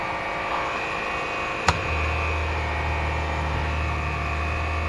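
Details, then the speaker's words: Trailer water pump on a 2018 Coleman Lantern 202RD, run briefly during winterizing to clear water from the pump: a sharp click, then a steady low electric hum that holds evenly, running normally. "don't want to let it run too awful long. Go ahead and turn it on so that it gets all the water out of the pump."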